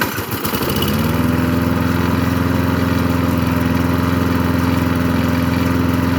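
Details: Craftsman 22-inch push mower with an old-type Briggs & Stratton 6.0 engine. Fires after a sputter and holds a steady, even run with no surging or misses; normal running.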